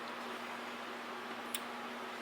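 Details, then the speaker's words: Castle Creations XLX ESC on bench supply at 11 V, drawing about 2.8 A across the power rails: quiet hum broken by two sharp clicks as the supply trips into overcurrent protection due to the shorted ESC. "about 2.8 amps and it's throwing the power supply into protection mode you can actually hear it click"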